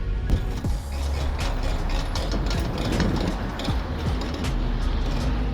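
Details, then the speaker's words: 2000 Ford F-150 front brakes: rough scraping grind with irregular clicks at road speed, only once brakes and rotors got hot; calipers had no grease, and lubricating them cured it. "It wasn't until the evening, now that the brakes or the rotors or they were really hot, that's when the noise you will hear that grinding noise."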